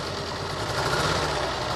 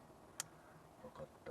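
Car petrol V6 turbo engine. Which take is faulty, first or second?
first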